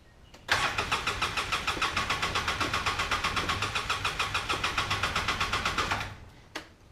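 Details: 2005 Polaris Ranger XP 700, long-owned and running tired: catches immediately then chuffs with uneven lumpy pulses for about five seconds before dying; running rough, later fixed by cleaning the TBAP sensor and throttle body.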